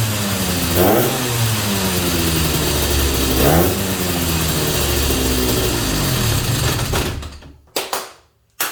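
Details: 250 Inter, first start after a rebuild and 8 months of work: engine catches with an even burble, two clean throttle blips, then shuts off; normal running and revving.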